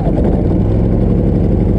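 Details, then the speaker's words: Harbor Freight Predator 3500 inverter generator, started after sitting a couple of weeks: smooth, even low drone with no knocks, misses or surging, settling in cleanly; owners note it runs extremely quiet; normal running. "i thought i knew what it would sound like i was wrong it was extremely quiet"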